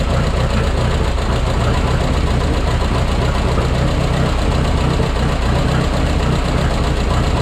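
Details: Minneapolis Moline 335 tractor with a rebuilt engine, just restored and driven: heavy, lumpy, low beat with an uneven pulse and no crisp rhythm. Owner says it runs rough and needs tuning, possibly timing.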